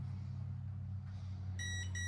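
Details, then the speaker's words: Mamba 60E ESC in programming mode with throttle at maximum: two clear, high electronic beeps over a low steady hum, counting off the second menu item while setting soft start. "2 beeps, and then at the 6th beep, we're going to move the throttle stick to the bottom."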